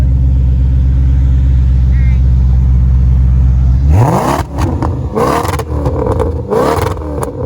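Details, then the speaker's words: Fire-damaged salvage Maserati with Ferrari-derived engine, aftermarket exhaust and mods, sport mode, no check engine light, alternator not working: even idle then clean sharp throttle blips without misfire or knock; healthy. "Turns out she's got an aftermarket exhaust on her and a couple other mods here. Let's get her in sport mode and see what she sounds like."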